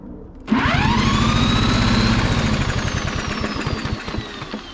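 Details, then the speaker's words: Fairly new Troy-Bilt lawn mower that won't start, cranked with a drill after fresh gas sprayed in, choke open: steady compression chuffs about four per second that never catch. "nothing now if this was getting spark that a little bit of gas I sprayed in there and that's fresh gas this should have kicked over so we know at the very least we're not getting spark or it could be the valves"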